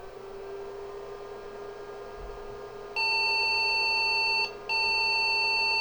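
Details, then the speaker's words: IBM 5150 PC powered on after reassembly: series of long beeps, a single steady tone with a brief gap, POST error; owner suspects the motherboard screws. "just a series of long beeps maybe my screws have something to do with it"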